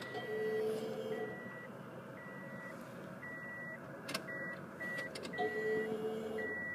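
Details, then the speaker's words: 1999 Ford Escort that won't start (broken timing belt), key on without cranking: faint steady hum about a second, twice, under regular chime beeps; fuel pump priming normally and judged good. "yeah the fuel pump made a noise"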